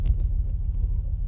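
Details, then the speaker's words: Ford Focus ST five-cylinder still misfiring after a new MAF sensor replaced over a pending P0101 code that returns when cleared: a deep, lumpy engine rumble with an uneven, pulsing beat, sounding like a Subaru. "But when you clear it, it doesn't stop it sounding like a Subaru. Now, I like Subarus, but I don't want a Subaru."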